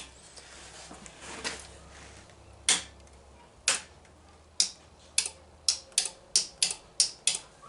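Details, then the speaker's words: DJ fog machine with the fan unplugged; sharp dry clicks, irregular at first, then roughly twice a second, as the electric pump clicks on and off but delivers no output. Cause suspected, not confirmed. "I can hear the thing clicking on and off but it's not doing anything"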